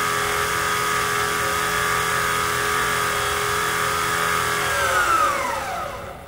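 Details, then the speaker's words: Precision Matthews PM-25MV mill after belt-drive spindle speed upgrade, running near 5000 rpm: high gritty whine, then pitch sweeps down; spindle strained; owner hopes new bearings reduce friction. "so yeah it's not real happy running at 5,000 rpm that's for sure but it will do it"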